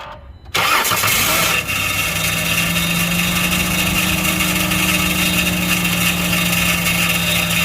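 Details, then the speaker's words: 2012 Chrysler Grand Caravan 3.6L after a no-crank fault traced to a shorted alternator: a harsh scraping screech over cranking before it settles into idle; the flywheel is suspected to be scraping something. "cut it off the flywheel flywheel scraping something so it's actually something more than that it's the flywheel straight or something"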